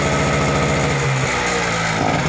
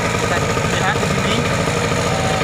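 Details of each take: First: Global-brand generator set that runs but gives no electrical output: runs fast with uneven beat, note dipping and wavering; only holds speed with throttle held high, drops back when lowered. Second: Generator that ran but gave no electrical output, after replacing the capacitor: steady even engine hum at constant speed with no hunting or misfire; now running normally and producing power.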